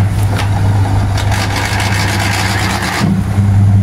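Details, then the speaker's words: Wansa washing machine on spin, owner reported noise; tub looks stable. Deep motor hum with rough scraping rush for a couple of seconds, like something rubbing, heard as the motor spins; technician suspected then doubted the clutch; cause unconfirmed. "Parang meron siyang nagagasgasan. Pag-obserbahan ko yung ikot ng kanyang ayan, yung cooling ng motor, saka lumalabas yung ingay."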